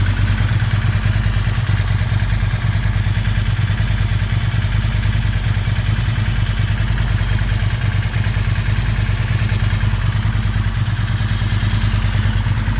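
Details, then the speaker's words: Ducati 916 V-twin at idle after fuel pump quick-connector O-ring replacement and pilot screw adjustment (front suspected slightly out of tune): even lumpy low thump, steady, responds better, not dropping idle; balance still to check with vacuum gauge. "respons better not dropping idle as much so I reckon that really just need a no two reader to test that"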